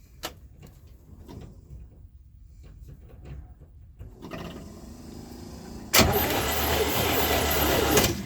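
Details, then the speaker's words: 1972 Chevy C10 with a 350 V8, sat in a barn 30 years, cold at 29°F, spark tested with an old plug on a poor ground: starter churns about two seconds with no firing; no spark, coil suspected. "nothing. have a couple we have a couple options here."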